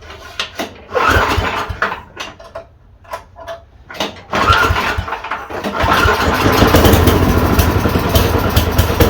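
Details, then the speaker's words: Yard Machine 826 snowblower (8 hp, 26 in cut) restarted after a shut-off grounding check: a few sputtering pull attempts, then the engine catches and holds a steady, even chug. With a screw adjusted, it runs normally. "you have she's a runner had to mess with that screw that I told you I don't usually touch"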